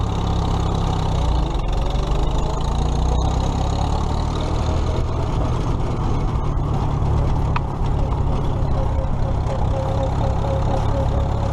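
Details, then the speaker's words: Old tractor (the H) after alternator repair (loosened nut fixed), running for a ride before the 2017 Nowthen Threshing Show; steady even low rumble, no knocks or odd noises – normal running. "right now everything's running everything's together we fix that alternator"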